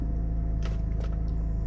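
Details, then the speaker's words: BMW SMG at idle, after fixing an improperly pressed lock washer on the SMG fluid line that followed throttle sensor replacement: a crisp click on each shift with no pump buzz. Normal SMG shifting, no longer popping out of gear. "i just get the click i don't get the buzz turning it on same thing i'll get the click not the buzz"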